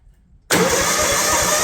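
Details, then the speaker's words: DR all-terrain mower with Kawasaki FV420V engine, sat for years, new battery: cranks, catches suddenly on starting fluid and runs rough and loud over a second; it fires, so fuel delivery is suspected. "all right I got some Go Juice but let's crank it for a second or two longer to see how it sounds if it fires then I'll work on a fuel"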